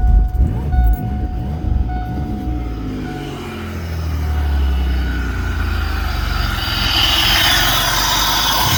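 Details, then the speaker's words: 2000 Pontiac Grand Prix GTP, not run in a few years but still holding fuel pressure, jump-started; needs a transmission. Fires after a brief crank and settles into a steady, even low rumble with no knocks or misses: normal idle. "Well, there we go. Fires up."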